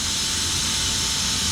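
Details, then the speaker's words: Motorcycle/ATV air lift (rated about 1200 lb) set on its lock, air pressure bled off by pushing down the treadle: short, even hiss of escaping air, no sputter or pulsing; normal bleed-off. "so let's go ahead one more time we're going to set it on the lock bleed off all the air pressure by pushing down on the tremble"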